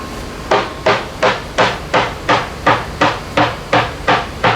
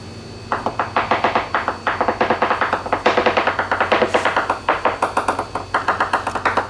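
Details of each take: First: Leopard 45 catamaran hull after dry-glass repair, hammer tap test: even taps nearly three a second, each the same crisp solid uniform note with no dull thud; laminate sound. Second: 2021/2023 Leopard 45 catamaran hull, hammer tap test: quick regular taps about six a second, each ringing with a brief hollow reverberation. Dry fibreglass laminate.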